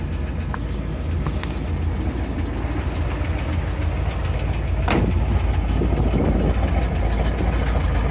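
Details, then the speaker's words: 1978 Corvette started after standing a few days, top end redone, brand-new distributor, bottom end going; uneven idle with light quick tapping over low rumble, heard from the front, source unconfirmed. "That's the tapping noise on about. Brand new distributor."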